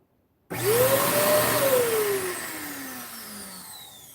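On switch-on a whine climbs, peaks, then sags and fades over a few seconds; the vacuum isn't running right, cause unclear.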